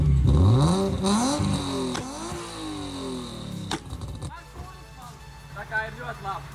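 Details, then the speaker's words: BMW E36 after head gasket replacement: revs climb and drop back cleanly a few times, then settle into a steady, even idle; sounds completely different from before, healthy. "Viss ir ļoti labi un skan viņa pavisam citādāk kā pirmī."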